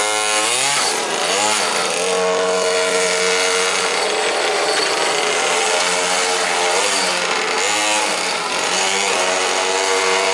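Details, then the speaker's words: Quarter-scale GT40 body on a Rayco Super Modified 2 chassis with a marine engine: high, buzzy engine revving with a light metallic chain-like chatter from the stainless steel disc brake; brake disc chatter. "That little rattle you hear is actually what that is that's the disc brake, because I swapped it out for the fiber one."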